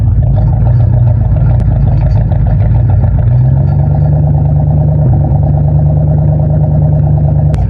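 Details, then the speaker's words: Ford LTD with Motorcraft carburetor that sputtered and wanted to stall on the road. Mic at the exhaust: a steady low idle drone whose rpm climbs and holds when the choke is held. The owner suspects a lean mixture. "You hear how the RPM went up when I held that choke in place? It makes me think that it's running too lean."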